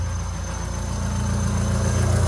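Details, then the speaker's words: Honda Civic D16 engine, first start after a rebuild and reinstall, slightly smoky at first. Steady low idle with an even, smooth pulse and no knocks or ticks; running cleanly. "so here we are we're going to start it up really quickly as y'all can hear This Is Us starting it up a little bit Smoky right now"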